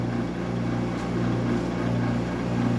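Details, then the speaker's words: Old refrigeration unit drawing air in the front and out the back, compressor unidentified, with a noisy fan motor: steady loud low hum and rushing-air drone, very noisy running with no knock or rattle. "It's very loud as these are. These things are so so noisy."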